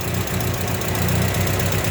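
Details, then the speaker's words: Engine after camshaft bearing cap repair: rough uneven idle, carburetor faulty and to be replaced, with light busy ticking over the rumble — valve clearance to be adjusted to remove noise. "Tapos yung tune up ich-tune up na lang para mawala 'yung ingay. Ah ano iba-bance na lang. Buve clearance pala ang tawag."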